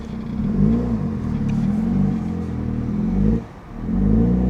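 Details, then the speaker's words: Audi A5, turbocharged engine, 6-speed manual, in limp mode; floored to about 2500 rpm, the drone surges and sags unevenly with a near-stall dip and won't pull freely. "Oh boy. This does not sound healthy. This does not sound healthy."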